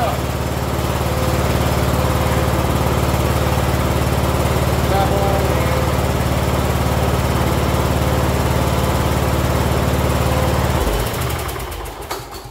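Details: Cub Cadet LT1045 yard tractor (Kohler Courage 20) after new carb, air filter, spark plug, fuel filter and fuel hose: smooth even idle around three pulses a second, no misses, winding down cleanly at shutoff.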